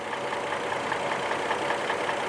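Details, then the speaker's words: 2002 Chevrolet Trailblazer at idle, engine shaking visibly: uneven, lumpy beat with irregular thumps in the exhaust; code P0305, cylinder 5 misfire. "entonces este motor tiene un destiempo o en inglés se le conoce como miss fire al sacarle el código nos indica que hay un miss fire en el cilindro número 5"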